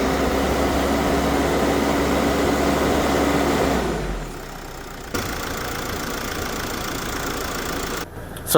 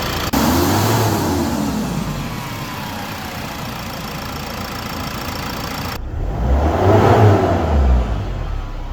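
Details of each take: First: Mercedes Sprinter diesel idling after alternator bearings, brush pack and clutch pulley were replaced: steady even hum, previous alternator whine gone. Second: Mercedes Sprinter diesel engine running, with a faint whine over the clatter from worn alternator bearings and clutch pulley; alternator removed for replacement.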